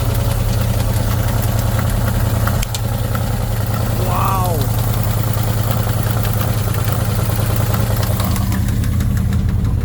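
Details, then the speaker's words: 1977 Pontiac Formula Firebird barn find, parked since 2007, first idle after fuel line hooked up to the carb: steady, even low idle with no misses or knocks, hardly smoking anymore; normal idle. "Really? It's going to sit here and idle."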